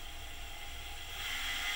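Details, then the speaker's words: PM-25MV milling machine spindle with a snug 3D-printed bushing that makes the spindle and drive pulley one piece: quiet, even whir with a faint steady hiss and no knocking or rattle. Spindle runs smooth and tight. "but this machine this bushing fits in there really snug really tight and it it makes the spindle and the drive pulley one-piece but you can see it's really quiet makes no noise"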